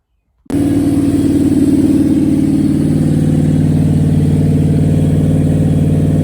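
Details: Rebuilt small-block Chevy V8 on a motor stand during its second break-in, after the lifters were pulled and the cam inspected: it fires up crisply and settles into a steady, even beat with no knocks or ticks; the engine runs healthy.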